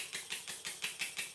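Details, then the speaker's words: Stuart model steam engine run on compressed air from a Bambi BB50D compressor: sharp, hissy exhaust chuffs about six per second, each with a slight knock. Funny noise caused by too much oil in the steam chest and cylinder. "the engine is making a bit of a funny noise which is due to having too much oil in the steam chest and in the cylinder"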